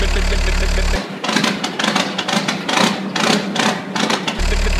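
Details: Peugeot/Citroën 1.9D diesel (Berlingo/Partner), cold start after glow plug replacement; steady low rumble settles into an even idle with no misses or knocks, noise masking the middle; normal idle.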